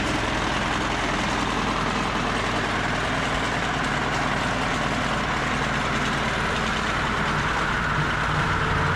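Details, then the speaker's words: Old 2-cylinder diesel, believed Cummins, off a generator, on a sawmill; sat 6–8 months. Steady even chug, smoky rumble, no knocks or misses; running fine after starting. "This is a 2-cylinder diesel engine. It came off of a own-in generator. I believe it's a Cummins."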